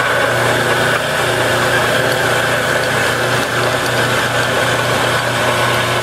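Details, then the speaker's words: Used Enco 9" x 20" bench lathe that is missing a drive belt and has a gear that keeps falling off. A steady, even hum with a low drone and no knocks or grinding; the motor and drive spin smoothly and it runs normally. "Turn it on. It does operate."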